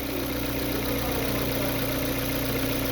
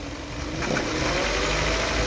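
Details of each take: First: Hyundai Veloster in D with handbrake on, held at the revs that produced the noise, with belt-driven accessories disconnected: even, steady engine hum with no whine; normal running, noise traced to the belt drive circuit. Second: Hyundai Veloster, noise from the engine area when pulling away on a hill, only at low rpm between idle and mid revs, gone as revs rise: faint steady whine over the engine rising with speed.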